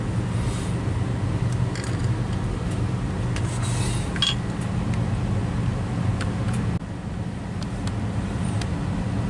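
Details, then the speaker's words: Well pump after new pressure switch installed and power on, contacts closed, building to 60 psi cut-off; low, steady motor hum under load easing slightly near end: pump running normally. "And by simply pushing this with something else, you can hear that slight hum. That's the pump running."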